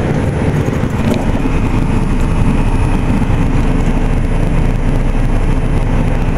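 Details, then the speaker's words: Carrier Infinity GreenSpeed 25VNA inverter heat pump outdoor unit in cool mode, spooling down: deep steady fan whoosh and hum with faint even tone, no rattles or clunks; normal cooling operation. "that is a carrier 25 dna and it is spooling down"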